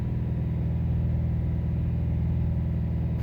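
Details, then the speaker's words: 2017–2018 Subaru WRX STI: heavy steady low rumble booming through a particular rpm band, nothing sharp on top; owner suspects changed factory software; loud engine drone at certain rpm, cause not confirmed. "engines making a lot of noise Wow there's something different here you guys something's different in the software"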